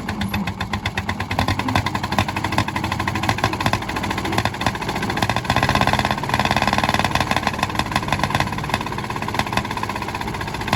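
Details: 1951 D8 2U dozer that sat in a barn since about 1990, pulled out and running; its small pony starting motor makes a rapid, even popping beat, steady with a slight rise mid-clip, and runs healthy.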